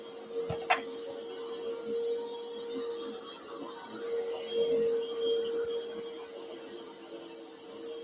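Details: Bissell Powerforce Bagless 6579-2 vacuum, test run before tear-down; owner notes a smell and squeaky handle, belt issue suspected: steady mid-pitched hum with faint high whistle, even, no rattles or surges; motor sounds healthy.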